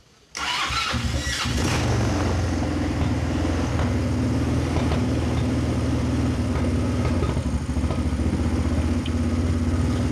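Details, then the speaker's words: Kazuma Falcon 150cc quad, about 10 years old, just started cold. It holds a raised, steady idle with a slight waver while warming up. The automatic choke turning off might explain it; otherwise it sounds pretty clean. "Wonder if that was the automatic choke turning off then. That sounds pretty clean."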